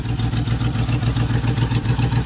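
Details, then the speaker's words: Manual Land Rover Discovery 1 just started after sitting six months: fast, even chuffing puffs over a lumpy low idle; owner calls it the typical exhaust leak, possibly near the manifold; exhaust puffing at idle. "typical exhaust leak"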